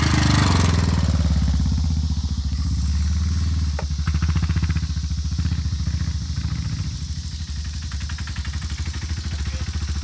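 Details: Yamaha Warrior 350 quad with FMF exhaust, baffle removed, idling: loud deep single-cylinder thump with a light regular ticking on top; valve tick suspected, not confirmed, overhaul planned.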